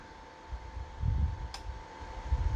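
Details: PS-3K-24V hybrid solar inverter under repair (inverter section faulty), fed from solar panel, charging battery and supplying load: steady whine, soft fan rush, one sharp relay click; inverter operating normally.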